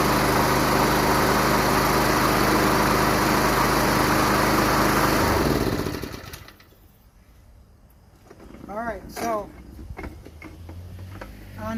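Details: Craftsman Professional self-propelled mower, Kawasaki 179cc, model 12AE997E099, self-propel pulling right: single-cylinder engine runs steady and even for a few seconds, then shuts down; engine starts and runs fine.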